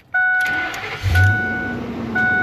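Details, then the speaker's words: 2004 Ford Excursion with long-standing starting problems, during removal of a messy Viper remote-start alarm, wired back toward factory harness: door chime, brief crank, engine catches straight away without stumbling or ignition hiccup; normal engine start. "Perfect. And you heard the way it started. It didn't have any hiccup with the ignition or anything like that."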